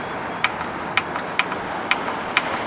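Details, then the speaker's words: Primer solenoid on a 70 hp Johnson outboard, broken key ignition switch rewired to waterproof push-button start, primer and kill switches: six sharp, evenly spaced clicks about two per second over quiet background; primer solenoid clicking normally. "they see if this I can hear the primer clicking"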